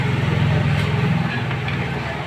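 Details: Honda CG125 single-cylinder running after the clutch basket, clutch plates and pressure plate were replaced to cure a clutch-side noise. Smooth, steady low throb with no knock: normal clutch operation.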